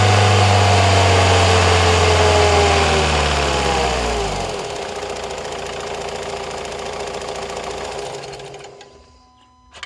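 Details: Opel Astra J 1.7 CDTI diesel, one week after purchase from a dealer, idles with a regular clicking about two a second, then shuts down and winds away.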